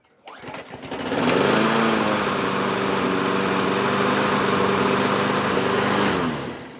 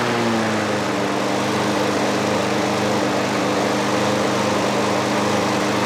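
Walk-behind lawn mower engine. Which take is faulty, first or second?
second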